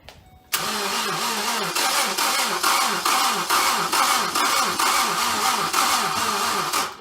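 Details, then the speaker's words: 2012 Ford Focus SE, first start attempt after head gasket job and timing work: uneven, labored cranking about two and a half turns a second, never catches; starter weak and failing, confirmed starter went out. "Alright, so I was trying to start it in the last clip. Starter went out."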